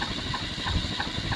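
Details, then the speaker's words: Early-mid 1980s Universal 52-inch close-mount spinner ceiling fan on high: steady rushing hum, somewhat high pitch, faint rumble and soft pulse about three times a second from very loud worn motor bearings. "Performance is kind of average. It has a running bone to it. Somewhat high pitch. And as you can hear, the bearings"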